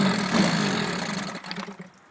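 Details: Mercury 9.5 outboard runs briefly, then its note sags and fades out within a couple of seconds as the engine stalls; owner asks how to fix it, cause unknown, engine stalling.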